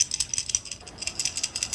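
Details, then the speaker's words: Bluetooth earbuds charging case being shaken: light quick irregular clicking rattle; loose magnet detached inside the case, found on opening. "You hear this sound? Maybe something fall apart inside. Let's open the case. See the magnets, this is what making the sound."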